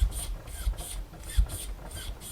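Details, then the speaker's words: Worn-out cheap Amazon mountain bike air shock, damper with rebound cranked up, standard O-ring seals: rough rasping rub repeating about every 0.35 seconds as shock is cycled; nasty noise from worn, gritty damper. "I don't know if you can hear that, but that is a nasty noise."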